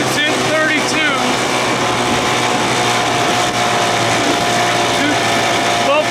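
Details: 1979 Evinrude 55 hp outboard with original carb reinstalled, after reed valve inspection and compression test: in neutral revs keep climbing with a rising, wavering pitch, a runaway idle; owner suspects a loose throttle cable, cause unconfirmed.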